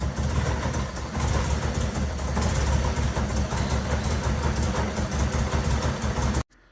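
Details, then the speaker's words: MGB with supercharger belt disconnected and set back to standard, another airflow meter believed killed, owner suspects meter placed after rather than before the supercharger: loud, lumpy running never settling, then shuts off. "So putting everything back to standard, and it's still not working as before. I think I've killed another AFM, an airflow meter, and I think I've worked out how."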